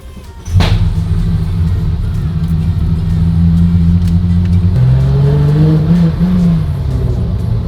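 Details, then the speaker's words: V8 car with a weird, smoky idle: it idles high and will not come down, revs hunting up and down over a few seconds; high erratic idle, cause not yet found. "Okay, having issues. Can't bring the idle down."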